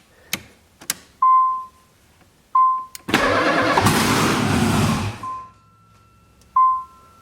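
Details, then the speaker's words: LS V8-swapped Nissan 300ZX first start attempt without the fuel pump on, likely running on residual fuel: dash chimes, then engine catches with loud raw roar for about two seconds before dying. Normal engine start. "yep yep it it uh it starts"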